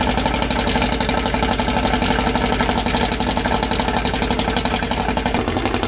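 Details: Freshly assembled 2054 engine on its first start after nearly a year of building, with carburetors and ignition set up. A quick, even fast idle around 1200 rpm with light gear chatter underneath; the idle is kept high for break-in and may be lowered later. Normal.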